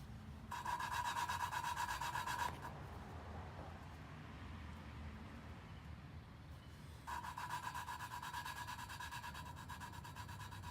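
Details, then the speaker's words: Lapping valves by hand in a Toyota 2JZ VVTi head with a suction tool and compound: rough back-and-forth rasping with a thin ringing edge, grind softening and less coarse as the seat mates. "you can hear the sound is changing start grinding anymore or doesn't sound as course I should say then you lift it up turn a little bit and then you get that grind sound again"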